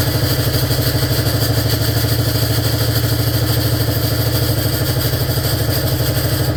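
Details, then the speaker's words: 1947 BMW R35 motorcycle, first run after sitting for years: steady idle with regular light rattle about three per second; gearbox sounds terrible, jiggling around and not shifting. "The gearbox sounds just terrible. I don't know what's what's wrong."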